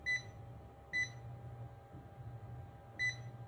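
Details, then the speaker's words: Non-contact AC voltage tester (tick tracer), Klein vs Fluke 1AC-II comparison: three short, high-pitched beeps at uneven one-to-two-second gaps over faint room hum; the tester is sensing live AC voltage. "This thing is picking up that there is something."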